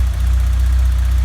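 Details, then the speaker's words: 1991 Vauxhall Nova GSi, original 1.6 8-valve, cold start after months off with fresh fuel replacing old fuel that made it run very rough: a steady, even low rumble with no misses or knocks; normal idle. "i'm happy with that i'm very happy with that what do you guys think for uh barely mind the last time it ran was several months ago and it was running really really rough"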